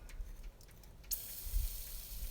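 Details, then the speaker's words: John Deere 310C backhoe with loss of power: fuel line loosened to bleed the fuel pump while priming; steady airy hiss of trapped air purging from the fuel system before the line is tightened. "hear the air hissing out now it's tightened back up"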